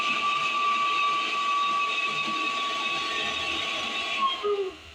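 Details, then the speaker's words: 1978 Camaro heater blower motor, run direct from a hot wire to ground: loud, steady, high-pitched scream then dropping away as power is cut; motor squealing badly, owner expects to replace it. "Sparks sounds like an elephant under the dashboard that's pretty awful I'm probably gonna have to just change that whole motor"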